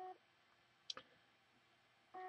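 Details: Seagate Barracuda external hard drive after a PCB swap: short steady beep about every two seconds with faint clicks between, no spin-up; PCB incompatibility or a failed drive suspected, data recovery unsuccessful.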